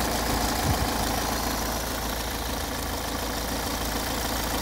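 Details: 2011 Peugeot 508 2.0 HDI 163 hp diesel, 224,000 km, warm idle: steady high whistle over the clatter, absent on cold start and growing after a few km; owner suspects the camshaft chain between the two cams, not confirmed.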